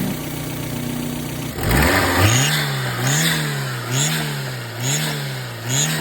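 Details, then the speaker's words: Daihatsu Mira with turbo: a high, thin squeal rising and falling with throttle blips, now also at idle after the belt was tightened. A broken turbo intake or belt is suspected, and a boost leak seemed absent. Source unconfirmed. "kind of loose, this guy right there, and we adjusted it, made it a bit tighter, and now the sound even comes on idle. I wasn't doing it on idle before, but listen to this."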